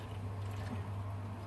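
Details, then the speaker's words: Baxi Combi 133 HE Plus boiler after pump work during a diverter valve and actuator replacement: a rising tone as air passes grows louder, then disappears, leaving a quiet, even hum as the circulating pump runs smoothly. "it's about to go now there it goes now now the pump's going a lot quieter now"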